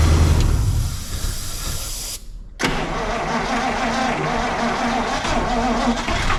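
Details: 1953 Buick being revived on its fuel system: uneven, labored cranking, a brief silence, then rough sputtering as it nearly catches on fuel poured in by hand; not yet running on its own fuel supply.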